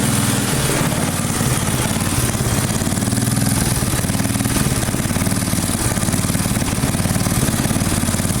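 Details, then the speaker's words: Free neglected Briggs & Stratton single-cylinder engine on a rototiller, running fine at a fast, uneven idle that rises and falls slightly; it is hunting a little, and owner hopes more runtime will settle it. "It sounds like it's running just fine. It is hunting a little bit, but yeah, again, I say this in every video, but maybe a little bit of a runtime will change that."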